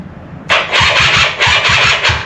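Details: Polaris quad, possibly a 250, mystery project, battery fully charged: starter churns in quick, even pulses for about two seconds but the engine never catches; crank, no start.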